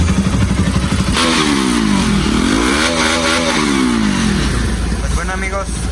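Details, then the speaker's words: Bajaj Pulsar RS200/NS200 after repair of a jumped timing chain that left no compression, valves not hitting the piston: even idle, then clean revs rising and falling smoothly with no rattle or tapping; engine healthy. "encendió la moto. salvó el cliente porque sus válvulas no pegaron con el pistón, solamente se salió la cadena, pero pues la alcanzó a librar."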